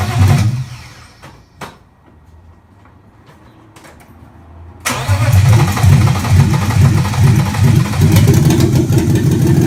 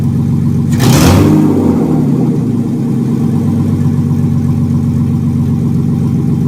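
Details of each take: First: 1995 BMW 325i E36 M50B25 engine run before being pulled for a swap, with the exhaust removed so it runs straight off the headers: silence, then it fires into a loud, deep raw bark with short revs kept under 3000 rpm; it runs. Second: 1995 BMW E36 325i M50B25 donor engine first start before a swap into a Mercedes 190E, exhaust off so it runs straight from the headers: sharp rev blip then a loud, raw, crackling unmuffled idle.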